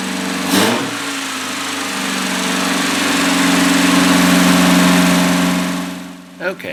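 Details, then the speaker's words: 1982 Datsun 210 running after its first start in 13 years, following a fuel system flush, new battery and fresh fuel in the carburetor: light, steady buzzy hum at an even pitch, like a sewing machine; the small engine ticks over smoothly. "so it sounds more like a singer sewing machine instead of a ferrari but it's running and i'm both a little surprised and extremely happy"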